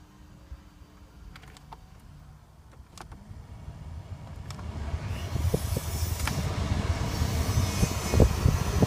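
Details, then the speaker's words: 2006 Hummer H3 after replacing blower motor resistor and wiring harness, engine running: quiet, then rising steady air rush as blower spins up; normal blower operation. "Now let me start up the car so I can show you that everything works perfectly fine."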